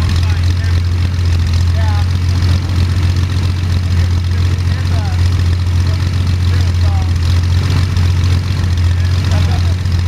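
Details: First start of Jabiru 3300 six-cylinder in plans-built Sonex with Rotec TBI, 50 hours on engine, mixture full rich, oil pressure 42, charging, EGTs 700-800F: deep even idle throb, steady pulse, no knocks or rattles; sounded really good, normal idle.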